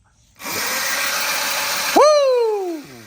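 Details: Short electric whir that rises sharply then winds down smoothly on a junkyard Razor MX350 electric bike, first power test after new batteries and a throttle with key switch; the motor runs normally.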